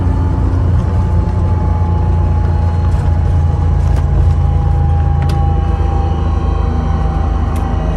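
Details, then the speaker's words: Bus with Allison V730 transmission, at highway speed (~65): thin even tone over road rumble that changes with engine speed not road speed, loudest in the closet; suspected transmission whine, power steering lines also investigated; quieter after switching synthetic to motor oil. "as the engine speed goes up it's changing it's definitely related to engine speed not not road speed and it's definitely back here in this closet"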